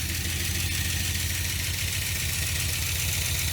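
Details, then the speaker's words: 1980 Dodge Power Wagon V8 started after sitting 20 years, idling while warming up before the thermostat opens: rough idle with a light, quick ticking about three per second, lifter tap the owner hopes will quiet down. "That's a pretty good lifter tap. I don't know if y'all can hear that or not, but I'm hoping that'll quiet down after a little bit."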